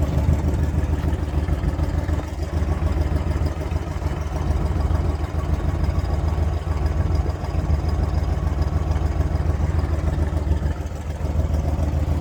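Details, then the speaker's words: 1966 Pontiac GTO, original 389 V8 with 4-barrel carburetor, points and condenser, dual exhaust, just started: deep loud V8 idle with fast slightly ragged ticking pulse from a slight exhaust manifold leak. "Sounds nice, Bob. We've got a little bit of an exhaust leak in the manifold. That's no big deal though. Sounds great."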